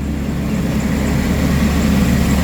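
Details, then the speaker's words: 2013 Chevrolet Express van, V6, running on its original PCM after an earlier extremely long crank with no RPM signal: smooth, even low rumble, no knocks or misses, steady; normal running. "And look at this. So, it runs with the original PCM."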